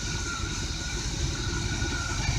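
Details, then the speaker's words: 1985/86 Chevy 454 RV engine, first start after new plug wires and platinum plugs: slow, deep, loping idle barely ticking over at only 500 rpm, slightly uneven; idle speed too low, needs raising. "only 500 rpm we might have to goose her up a little bit"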